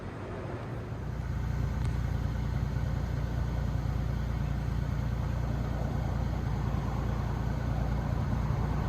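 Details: 2017 Hyundai Genesis G80 3.8, 41,481 miles, after replacing bad fuel injector that caused misfire, rough running and white smoke after fuelling; smooth even low idle, no stumble; misfire and check engine light gone, normal idle.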